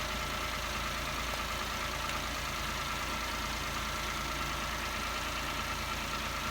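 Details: Peugeot 107/Toyota Aygo/Citroën C1 with the 1KR-FE engine, just after replacing a failed water pump (noisy bearings had broken the belt) plus the belt and pink antifreeze: even, steady idle with no knocks, rattles or belt squeal over a hiss. Healthy running.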